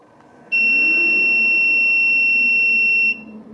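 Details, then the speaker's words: Datou Boss DT4811B 11 kW 48 V hybrid inverter at power-on, capacitor precharged to about 54 V: one steady, high-pitched beep lasting about two and a half seconds in a quiet room. Normal startup beep. "Szépen tud csipogni. Picit elgondolkodik."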